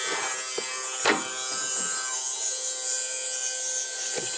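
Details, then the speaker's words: Kawasaki GTR1400 fuel pump on bench test, fully submerged in petrol, bike misfired before a year's storage and won't start: thin steady high whine with no load change; pump runs but isn't pumping fuel, cause unknown (possibly fitted wrong way round). "So, I don't really know why it's not pumping now. Right. A cloth over it. You should hear it start pumping now. Hopefully. It doesn't sound like it's working"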